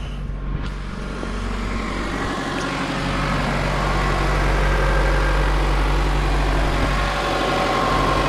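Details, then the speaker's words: 1991 Toyota Camry after one month on 0W-8 oil, cold start after sitting all day, oil pressure about 60-62: steady, even idle with a smooth low hum, no tapping or knocking, running the same as before; healthy. "So, as you can hear, it's still running pretty much the same as it was. Uh there's no additional knocking sounds or any other weird issues."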